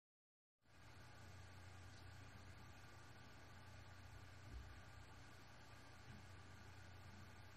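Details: Seagate BarraCuda 8TB ST8000DM004 HDD (22 power-ons, 10,325 hours, 2118 reallocated sectors): soft steady hum with faint whine, running quietly after the noisy drive's SATA adapter board was swapped for another maker's.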